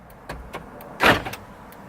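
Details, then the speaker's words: 1999 Ford Expedition with replaced door lock actuator, after key fob programming: two crisp lock clunks about a second apart, each quick and solid with nothing dragging; door locks working properly. "After the 8th time, you're gonna leave the key on and you should hear the door locks activate. That means it's time to program."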